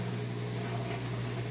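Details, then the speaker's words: Whirlpool Duet washer with long-drain and door-locked errors, after drain pump replacement: new pump runs with a smooth, even, quiet low hum, no grinding or surging, far quieter than the loud old pump; normal drain. "I'm impressed how quiet that pump is."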